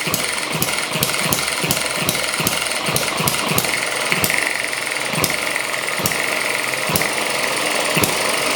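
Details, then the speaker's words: ET6 model hit-and-miss engine, running after a faulty HT lead was fixed, with load applied: regular sharp firing beats over mechanical clatter, spacing tightening as load comes on and the governor works; healthy running under load. "whoa it's got some torque there we go now you can see all of the uh the governor working"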